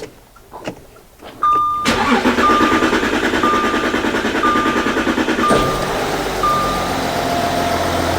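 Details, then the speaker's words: Audi Q7 3.0L diesel after new cylinder 4 injector replacement and coding (earlier P0272 misfire, P0087 low rail pressure): cranks briefly, catches and settles into an even diesel clatter with no misfires; normal start and idle. "so as you can hear the engine is running this engine sounds great can you tell the difference now no more Mis fires engine sounds good"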